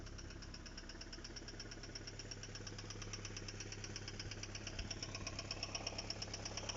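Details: Engine knock at steady idle: sharp, regular ticking knock about three per second, even throughout; cause unknown.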